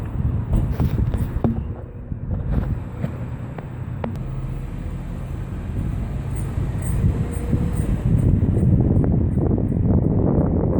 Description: Turns out it wasn't the bearing luckily, but a brake shim that came loose and was scraping against the rotor.